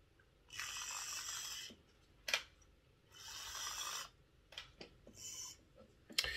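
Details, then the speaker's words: Tri-ang R52 Jinty 0-6-0 tank model locomotive that had stopped running, after repair and gear oiling, running on the layout. Small motor whirs in high, buzzy bursts with pauses and odd clicks, quieter than expected, handling points well. Normal running. "it's a bit quieter than i expected it to be how does it handle the points well well that's running much much better than i expected it to i'm very pleased with that"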